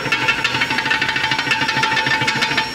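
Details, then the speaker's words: VW/Audi AP 1.8 engine block returned from the machine shop, auxiliary shaft (distributor and mechanical fuel pump drive) rocked by hand. Quick light metallic clicks show tremendous play, with worn shaft and bearings. Journals measure 42.95 and 41.96 mm. "un juego tremendo esto acá"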